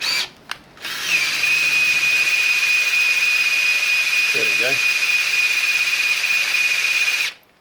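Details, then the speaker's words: Freshly built 351 Cleveland engine, oil pump primed by drill in short spurts, some wind: steady high drill whine holding pitch about six seconds with brief gurgle, oil reaching rollers; oil pump priming. "I just do it in small spurts to sort of let the motor on the drill rest. And also sometimes you can hear it gurgling."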